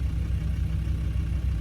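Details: Land Rover Discovery 2 after fuel pressure regulator replacement and fuel-system bleeding: started first go, steady low idle with an even, smooth pulse and no misses, knocks or whine.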